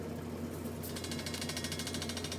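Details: High-pressure aeroponic system pump switched on to fill the accumulator tank before bleeding off trapped air: fast, even pulsing chatter of about a dozen beats per second; diaphragm pump running normally.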